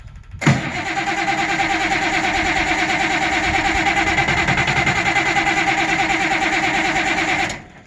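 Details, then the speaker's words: Auction-bought 190 XT tractor diesel, with a temporary fuel pump, hot batteries and ether, cranks steadily for about seven seconds without firing. Diesel is not yet reaching the injectors; crank-no-start. "It's definitely not getting diesel fuel up to the injectors yet, but that really don't mean anything considering let's crank on it for 5 or 10 seconds here with."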